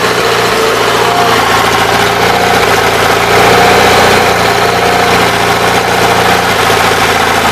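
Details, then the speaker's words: 816 loader just after a fuel pump replacement, started and checked for fuel leaks: steady, even idle with a low constant drone and no misses, knocks or surging; engine running fine. "Spewing fuel and it's still running alright."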